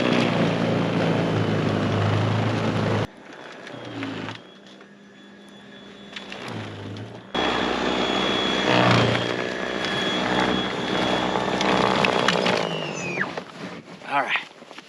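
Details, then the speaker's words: Greenworks 80V 20" brushless cordless snow blower in heavy powder, stretch cleared to dirt in 6.5 minutes; even motor whir and steady high whine holding pitch, unstrained: normal running under load. "I just got this whole stretch done down to the dirt, down to the earth in 6 and 1/2 minutes. And we've got a lot of powder right now. But it did really, really good."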